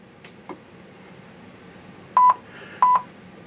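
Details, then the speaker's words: Lionel LionChief Plus Mikado O-gauge locomotive on power-up: three short even beeps about two-thirds of a second apart, error tone meaning the engine receives no radio signal from the remote. "there is the beeping tone that beeping tone is an error message it means that for whatever reason the Lion Chief plus engine is not receiving a radio signal from the Lion Chief plus remote"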